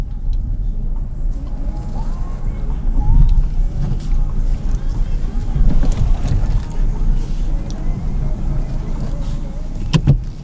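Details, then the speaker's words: 2018 Hyundai Elantra after front brake pad replacement, road test: steady low road and drivetrain rumble through the stop with no squeal, scrape or grinding; stops well and tracks straight. Quiet brakes, healthy pads. "don't hear no squeaking. Comes to a good stop, vehicle stays straight. That's what we're looking for."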